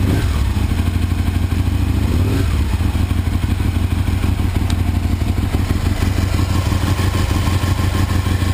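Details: 2001 Aprilia RSV Mille R race bike, Rotax V-twin, 3200 km, new Power Commander and battery, loud heat-wrapped exhaust; fires, climbs sharply on a blip, then settles into a loud, loping beat, clean and strong throughout.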